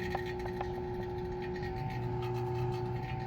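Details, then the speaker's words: 2017 CLAAS Lexion 740 combine A/C vacuum pump evacuating the system after compressor replacement, high side closed: steady even hum, real quiet with no pinging or knocking; normal vacuum pump running. "It got real quiet. It's not pinging or knocking, however you want to describe that."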